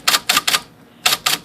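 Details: IBM Selectric typewriter, 13-inch with carbon ribbon, after motor flushing and adjustment: six crisp, evenly matched key strikes in two groups of three, no banging or rattle; S now sounds like Z, normal even strikes.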